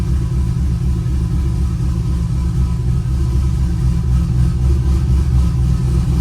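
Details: Pontiac GTO V8 at its first start-up after overdue maintenance, engine primed beforehand, lots of oil pressure reported: deep, even rumble, steady and smooth with no knocks or misses; a healthy idle.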